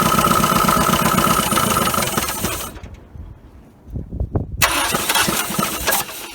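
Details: 1980 Dodge Colt Challenger, carbureted, sat 15–20 years, mechanical fuel pump on a gas can, float bowl not filling: engine catches, runs rough a couple of seconds, dies, then weak sputtering attempts; fuel supply suspected.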